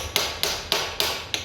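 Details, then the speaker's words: 1960 Ford Consul rear axle, new diff pinion seal being tapped in: six sharp taps a quarter second apart, each a dull low thud rather than a higher-pitched ring, meaning the pinion seal still has room to move back and isn't fully seated. "a duller sound like that, as opposed to a higher pitch, that just means that there's still room for it to move back."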